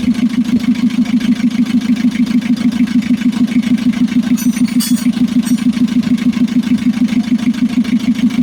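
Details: Mitsubishi L300 FB diesel after a hard-starting fix (new fuel pump, rewired harness, ignition switch, starter and alternator checked): even idle with a smooth, steady pulse around three beats a second, no misses or knocks.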